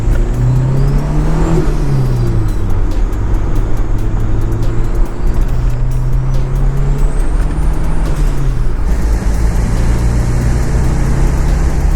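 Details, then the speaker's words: Turbocharged Toyota 22RE truck pulling through the gears after spark plugs gapped to .029 for boost: raspy, chuffing exhaust leak growing louder under boost, seemingly from two runners. "yeah you hear that uh that exhaust leak yeah i'm gonna fix that and that's a lot that's actually a lot of boost leaking it sounds like it's coming from two runners"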